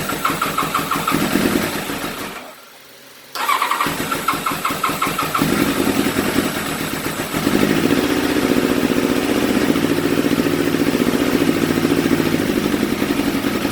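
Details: Small carbureted engine with choke open, hesitant to start: cranks, stalls briefly, then catches and runs with an uneven, stumbling beat; rough idle.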